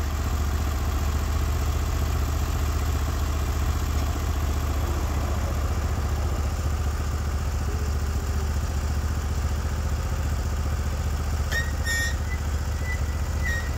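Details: Norwood HD36v2 bandsaw mill with new roller guides replacing the ceramics, cutting a big black oak block into 1.5-inch slabs: steady heavy engine drone under load, blade hissing through wood; cut flat and effortless, motor loaded normally.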